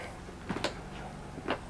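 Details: Lippert Power Gear electric rack-and-pinion RV slide-out stuck out; two sharp hard clicks about a second apart over faint motor hum; slide-out gearbox clutch slipping under load.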